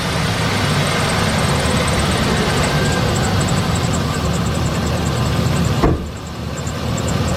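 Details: 2007 Chevy Express 3500 van V8 after the Motor Medic flush: an even rumble with no tapping, then a brief bump and dip in the engine note. The sticky lifter tick is gone; normal idle.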